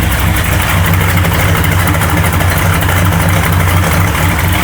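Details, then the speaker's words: Unfinished family project truck, V8 first fire, cold-blooded, started by remote starter: deep steady throaty idle, very loud exhaust, smooth with no misses or knocks; water temp, oil pressure and voltage gauges reading fine; healthy running engine. "Smells like fresh exhaust. I honestly can't believe it. We're so gonna get pulled over for the exhaust, but it's gonna be perfect."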